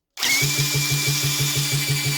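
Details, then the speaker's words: British Seagull 102 outboard, spun by a drill on the top: under the drill's whine a regular low pulse repeats about seven times a second; good compression, spark present. Owner suspects the carb needs cleaning. "turns over got a good bit of compression you could hear it pumping"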